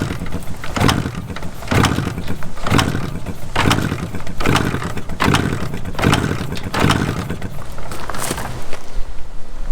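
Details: 1981 Suzuki TS250 two-stroke, long parked, fuel and key on, spark looked weak (plug or ignition, magneto possibly demagnetized): kick strokes thump about once a second, turning over but never catching; cranks but won't start.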